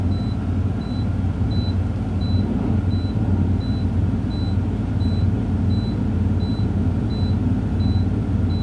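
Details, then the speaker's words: Truck diesel in neutral, both brakes set, held at raised revs for a CDL air build-up test: steady even drone with repeating high beep; pressure rose from 85 to 100 PSI within 45 seconds; normal compressor build-up. "Okay, I'm at 85 PSI. And now I'm at 100 PSI. This is a good test. I build air pressure from 85 to 100 within 45 seconds."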